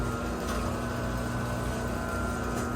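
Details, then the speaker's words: Chain-drive garage door opener tested with the trolley unlocked after the door partially closed, banged and dropped: steady even motor hum, constant pitch, chain moving with no grinding or rattling, running normally. "Well, right now it's unlocked, so you can see the chain is moving, which is a good sign."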